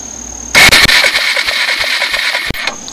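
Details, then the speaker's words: 1996 Suzuki DR200SE, first look: the electric starter whirs with a steady chug of compression for about two seconds but never catches, and the Mikuni carb needs a rebuild. "turn it doesn't seem to spark it all with this bike which is strange as it's it's really the same plug maybe I just can't see it sparking"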